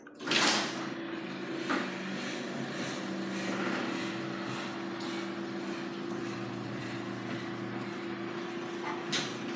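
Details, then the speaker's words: Garage door after oiling and lubricating to stop squeaking: steady motor hum with an even rolling sound and no squeaks or scraping; the door now runs smoothly and quietly. "We have oiled it and lubricated it, and it sounds better."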